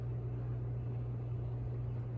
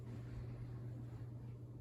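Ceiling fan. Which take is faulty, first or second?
first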